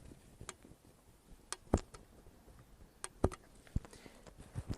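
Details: Motorcycle valve adjustment, cold engine, rocker arms moved by hand after checking the gap with a feeler gauge: a few sharp metallic clacks, irregularly spaced; the valves have normal play.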